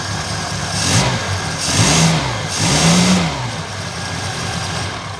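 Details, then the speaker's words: Reliant Fox small petrol engine after fixing the long-troublesome exhaust downpipe joint: ticks over evenly between a few quick throttle blips, no puffing or chuffing from the exhaust joint; runs healthy. "that's the choke this one's the throttle oh wow sam you have never sounded that good because uh to be honest i've had issues with that downpipe joint since i first got back on the road"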